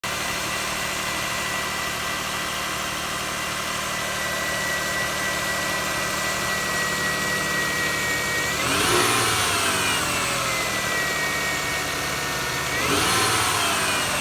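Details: Lexus RX300 idling: thin steady high whine that climbs sharply with each throttle blip; alternator suspected, not confirmed.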